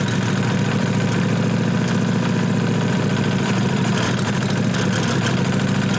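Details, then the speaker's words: 1998 Briggs & Stratton Vanguard 16HP horizontal-shaft V-twin, after freeing a solenoid plunger gummed with old gas. Steady, even cranking that never catches, with no fuel delivered. Blowing through the tank hose then cleared a suspected gum blockage, and the pump began delivering fuel. "Still don't want to take off. Alright, so what I ended up doing, I took the hose out of the tank and blew through it and forced the gas through it."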